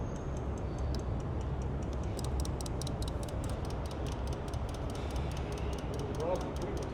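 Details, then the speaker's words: 2006 Ram 3500 diesel, key on, engine off, cranks but won't fire: fast, even, light ticking about five a second from the injection pump quantity valve, which stops when it is unplugged. "But you hear that tick, tick, tick? Key's on. It's a quantity valve on the injection pump. And you unplug it and it goes away."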